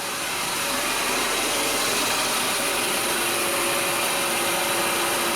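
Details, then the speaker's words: 2019 Honda HR-V 1.8L AWD at idle, AC briefly engaged with gauges fitted. A steady, harsh whirring hiss with a thin tone over it. High and low pressures barely move, consistent with a failed compressor. "You can see we barely dropped. We barely moved at all. We're not doing much of anything, which is consistent with a failed compressor."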